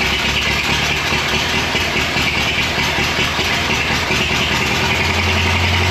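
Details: Rescued abandoned Ford Model T, back on gasoline after failing to run on moonshine: steady, even idle rumble under some hiss, no misfires or knocks; running normally.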